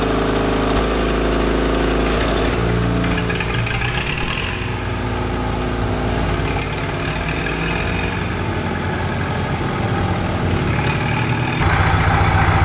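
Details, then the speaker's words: 1942 Caterpillar 212 motor grader, auction buy, after refitting the coolant sensor: small start engine gives way to a steady, even diesel run with no knocks or misses; healthy engine. "Oh, listen to that baby purr."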